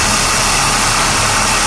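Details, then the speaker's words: Steady, even engine idle with a constant airy intake rush and no separate hiss, after a leaking vacuum hose for the cabin heating controls was found by ear and reconnected; the hissing is gone and idle sounds normal. "hey there we go now that took away my hissing well that sounds better"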